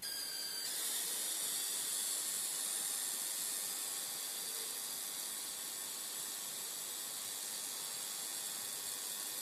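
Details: Philips 42PFL7862D/10 LCD TV with a black screen: a thin, steady high-pitched squeal with a hiss, cutting off near the end; cause unknown.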